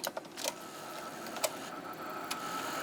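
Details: 1990 Sony BVU-950 3/4" U-matic broadcast VTR after threading belt replacement in an overhaul; a few sharp mechanical clicks then a soft, even motor whirr as the tape loads, no grinding or stalling: normal tape threading.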